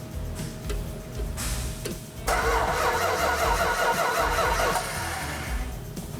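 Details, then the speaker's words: 1970 Dodge Challenger R/T, 440 Magnum V8, 4-speed: steady starter cranking with no firing or catch; cranks but no start and no spark because the ignition coil wire was not hooked up. "i asked you to hook the coil up you freak you don't hook it to a coil wire it wasn't hooked up"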